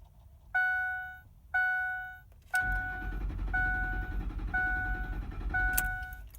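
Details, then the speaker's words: 2004 Ford F150 5.4L V8: door chimes, then the starter spins the engine steadily at roughly 200 rpm for several seconds without catching; crank-no-start from no fuel delivery, traced to a failed fuel pump driver module. "it appears that everything's pretty good the battery you know I mean it even turned over to you know you know 200 rpm or something like that but it decided not to start"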